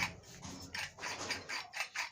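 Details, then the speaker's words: Monoblock water pump motor, front bearing checked by turning the shaft by hand; dry scratchy grating in uneven bursts, gritty and rough; front bearing worn like the rear, so both bearings and the seal need replacing. "तो दोनों bearing और इसकी seal ये change होगा।"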